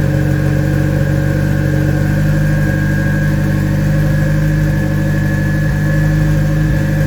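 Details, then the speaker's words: Citroen Saxo VTS Turbo on a warm-up run, idle stepper motor turned down from a too-high idle to about 1200 rpm: a steady, fast warm idle that dips and recovers a couple of times near the end; slight idle hunting, cause not confirmed. "initially it was idling too high so I've turned the stepping motor down for the idle control so that that b it down to about 1200 RPM"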